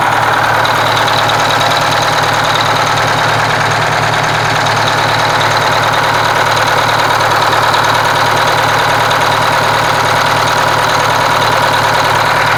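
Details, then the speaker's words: Kenworth cabover diesel after fuel pump and injector work, run with the valve cover off: even, steady idle with a regular firing beat and no missing pulses. The repaired cylinder seemed to pick up once fueled, and all cylinders sound like they now pull evenly. "now i want to say i want to say you could hear that cylinder pick up when it right when it got fuel and so i want to say that it's good"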